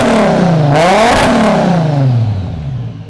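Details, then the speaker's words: Four-door JZ six-cylinder car, warmed up: quick blips climbing and falling, deep and smooth, quieter but still a little loud, no drone or rattle; normal free revving. "so nice to hear this thing actually sound like a Jay-Z it's quiet I mean it's still a little loud"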